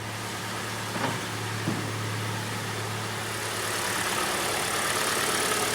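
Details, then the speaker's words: Kia Sportage QL, G4NA engine, 97,000 km, after block bored 0.5 mm for scored cylinders that caused heavy winter knock; heard from outside: quiet, even idle with a soft steady hum and no knocking; rebuilt engine runs smoothly, no errors. "работает тихо самое главное"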